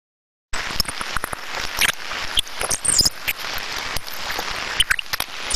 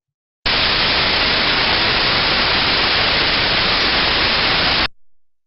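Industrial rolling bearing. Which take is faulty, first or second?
first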